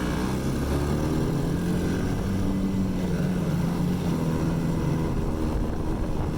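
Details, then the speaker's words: Ice Bear Mini Jeep, 125cc air-cooled single, one year old, just started cold and still needing choke, idle not adjustable; uneven chugging with wavering beat: rough running when cold. "I would probably oh shoot and she quit yeah very cold-blooded no way to adjust the idol on this unit"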